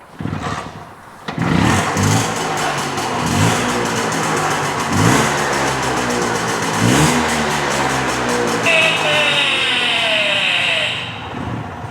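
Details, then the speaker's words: Original Vespa Primavera 125 smallframe two-stroke scooter, not run for a while, kicked into life: buzzing, rasping through several quick blips then settling, crisp and eager; normal healthy start and rev. "So that's what a small frame sounds like. It's kind of got a unique sound to it."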